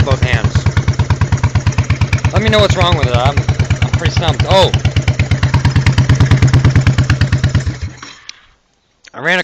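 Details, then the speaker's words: 1986 Honda Shadow 1100, high mileage, at exhaust: uneven chuffing with puffing gap, one exhaust sucking in and only slightly warm vs other hot; compression 150 or 125 psi on one, 125 on other; plugs look decent; owner suspects ignition/coils or timing. "this one here sounds like a sucking in cuz the cylinder's missing"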